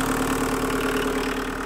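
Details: Mk1 Rabbit 1.6L turbo diesel in cold weather, fuel pump adjusted for a higher idle, microphone on chest: steady, even idle with constant low drone and no knock or hunting; healthy raised idle.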